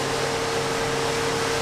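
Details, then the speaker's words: Pool filter pump that won't start on power runs with a steady constant hum once launched by hand, confirming its 20 µF start capacitor in the terminal box is defective and needs replacing: failed start capacitor. "donc c'est bien notre condensateurs qui est défectueux puisque le condensateur lui sert à lancer la pompe au démarrage"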